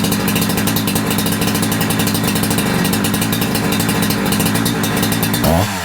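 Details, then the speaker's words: Holzfforma G372XP chainsaw (Husqvarna clone) that never ran right since new, after a new carb was installed and the fuel line checked, during tachometer tuning: fast, even two-stroke burble holding steady, no surging or dropouts. Low end and idle well tuned. "lowend and idle and and primary right off that seems to work really good I'm happy with that"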